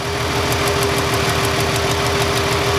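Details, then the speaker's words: Ford Freestyle 3.0 V6, cylinder 1 misfire with no codes, engine idling: sharp crisp ticking about six times a second as the ignition coil arcs internally, inside the coil or boot, giving weak spark. "I can hear it arcing inside the coil when I move it. See how I don't even have, I move it just a little ways away, and I can hear that arcing. It's taking place inside the coil somewhere, or inside the boot."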